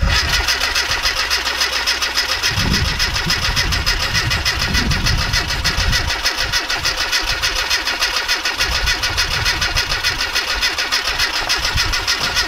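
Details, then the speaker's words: Classic Mini, hesitant running; compression 10 bar on cylinders 1, 2, 4 and 9 bar on 3; before plug cleaning and tune: catches after a few seconds into a slightly uneven lumpy idle; hard starting, sometimes fine, cause not yet found. "Is it always a bit of a peg to start? Sometimes it's alright, sometimes..."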